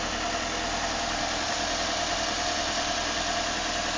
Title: 2006 nissan altima 2.5 s wierd knocking sound